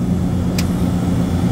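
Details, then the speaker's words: Beer walk-in cooler compressor after repair, restarted while recharging refrigerant: steady low hum with one brief click, no rattle or knock, running in the right direction and much quieter than the loud noise before. "it's running in the right direction sounds a lot quieter than it did before so we're good we're running we're good"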